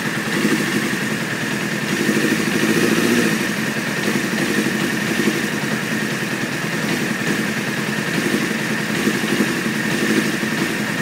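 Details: 1995 F3 sport bike, idle set at 2200 rpm, needs 10 seconds of cranking and emits white smoke to start: a high, uneven idle that stumbles and hunts; cause unknown.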